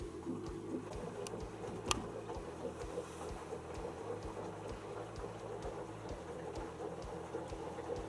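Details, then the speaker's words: Panasonic NA16-VX1 inverter washer (7kg, 1600 spin, 2009) has detected a small load and is filling through the main detergent compartment. A steady low hum, faint soft ticking and evenly running water; normal fill. "she is now doing is filling up water through the main washing detergent compartments adding the detergent"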